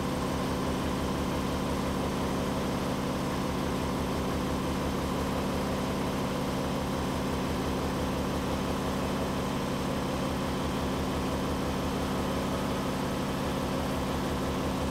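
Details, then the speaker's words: Air compressor converted to single-phase power with a Unique3phase transformer converter, running on Amsoil compressor oil, drawing 47 amps at start: steady, even mechanical drone with a regular pump pulse and no knocks; starts and runs fine, normal running. "now you can see 47 amps that's high but it starts and runs fine"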